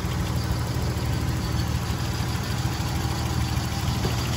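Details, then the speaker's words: Nissan 300ZX Z31 engine idling with engine-bay view after a tune-up and oil change: steady, even low rumble with no knocks or misses; everything sounds healthy. "Yeah, so we're just leaving the engine on automatic mode. Yep, everything sounds pretty healthy."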